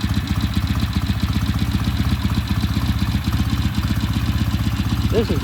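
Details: Vintage British motorcycle, first start in shop after long restoration, left to warm up: steady even low thump at idle, about four beats a second, firing cleanly; healthy.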